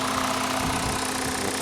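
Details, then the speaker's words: Jetta with the 2.5 five-cylinder, possibly missing an air box and with a structurally poor body; new battery; steady, even idle hum with no knocking or missing beats; seems to run okay. "even though it's got Chuck in July that seems to be running okay it's got a new battery"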